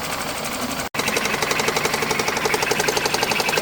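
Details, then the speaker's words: High-mileage ex-police BMW 5 Series Touring G31 at first start after neglect: light, intermittent tapping at about four per second from underneath the engine over a steady idle; rod knock not suspected, source unconfirmed. "I can hear some tapping noise from somewhere underneath the engine, but it's intermittent. I don't think it's rod knot."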